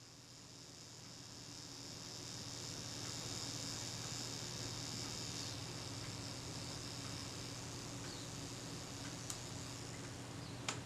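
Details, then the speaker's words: Kodak Retina IIIc camera arriving for service, shutter reported stuck: on release the self-timer buzzes steadily about ten seconds and ends with no shutter click; shutter not releasing, possibly not cocking fully or stuck. "yeah shuttle itself didn't fire though so someone had set the self timer and the shutter is most certainly not releasing"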